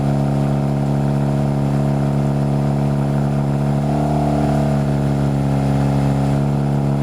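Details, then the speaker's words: Toyota MR2 Spyder 2ZZ-GTE turbo with new oil, coil packs and spark plugs, started on the second crank and idling loud but smooth and even, with no misses, knocks or rattles; healthy. "yeah that's not the absolutely wonderful so we got some new oil in here"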